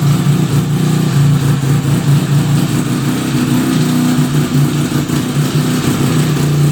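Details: 1975 Suzuki RE5, just fully restored: the running engine gives a steady low droning hum with a wavering mechanical note on top; abnormal transmission noise, cause not pinned down, engine to be removed to inspect the gearbox internals.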